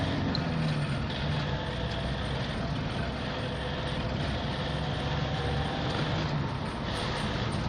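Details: Toyota D4D pickup after gearbox rebuild; steady low diesel rumble with no whine, grinding or clunking from the gearbox: gears engage well, normal gearbox operation.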